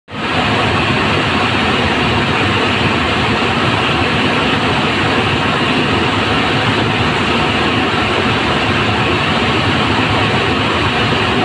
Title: Roller bearing broken#shorts